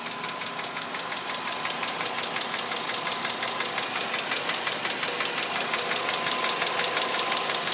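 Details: A fast, even, sharp tick-tick-tick rides over the idle of a 2006 VW Jetta MK5 with a 2.5L petrol engine. The cause is unknown and the owner is asking for help.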